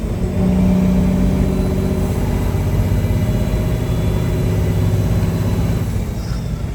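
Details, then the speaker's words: Peterbilt 359 truck, freshly completed engine with reworked injection pump, on test drive pulling a heavy trailer of about 28–29,000 lb, 13-speed, below high gear: deep, even diesel drone pulling steadily with no knocks, misses or whines; strong, healthy running under load. "guys I can't believe how good this truck drives I just can't believe it"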